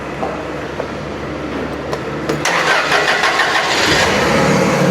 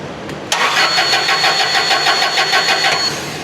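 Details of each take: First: Toyota LPG forklift after reconnecting the solenoid valve harness and fixing the internally broken power wire: brief cranking, catches at about four seconds, then smooth steady idle; normal start after repair. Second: Toyota LPG forklift: steady starter cranking about three beats a second for two and a half seconds, never catches; no gas reaching injection rail due to a broken internal wire to the fuel solenoid valve.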